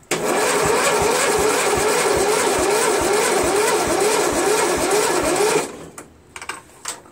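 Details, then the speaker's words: $40 Cub Cadet MTD lawn tractor, new battery fitted, oil just topped up: sluggish, labouring crank with a slow wavering rhythm about three pulses a second, never catching; cranks too slowly to start. "it's not gonna start some artifact doesn't even seem like it the end it's starting very well you know slow"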